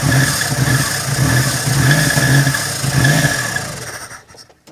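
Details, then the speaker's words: 1987 Daihatsu Charade GTTI 3-cylinder turbo, sat 10 years, on Easy Start: catches and surges roughly twice a second then fades and dies; runs only on starting fluid, so stale fuel suspected, thought to need draining. "It lives. Wow. It runs on Easy Start. It does. So we must have a stale fuel."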